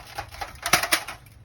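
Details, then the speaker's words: 1995 Jeep Wrangler YJ 2.5L four-cylinder, old exhaust: light tinny clinks and rattles in short bursts. Exhaust "death rattle" from a blown-out catalytic converter and loose muffler baffles, resonating through the exhaust so it seemed to come from under the motor. "I think that might be the noise that you're hearing maybe I think all the baffles are just floating around"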